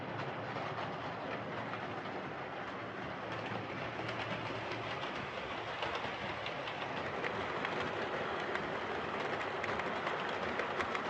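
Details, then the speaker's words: Hornby R2553 Princess Coronation Class "City of Bristol" model locomotive after repair of mangled rods and noise issues: steady, even whir with soft regular rail clicks and no stutter or binding; normal running. "so there we are that's this Hornby princess coordination class all sorted out uh it's a really nice looking locomotive and it's it's now running really well"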